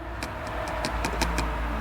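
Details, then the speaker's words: Case 580C backhoe brake disc with new riveted linings, lifted and set back down on the mandrel to check the rivets. Light, thin ticks instead of a solid clunk mean the lining rivets are loose. "like here this one you can hear is a little bit well I can hear you can hear like a tick tick instead of a clunk clunk"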